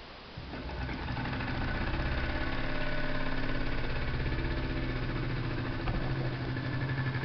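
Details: Jensen #60 steam engine with ball-bearing conversion on the drive shaft, runs on 1/2 to 30 psi; starts into a soft, even low chuff about four beats a second, running smoothly at low speed; flywheel has a small rough spot.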